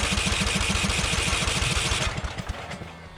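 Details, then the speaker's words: Customer's Murray 42-inch riding mower with an ignition issue, after fitting a used ignition, pops rapidly about 3.5 times a second while cranking without starting; owner suspects backfiring because it's flooded. "you know i think i needed to run the fuel out a little more i think it was backfiring because it's flooded"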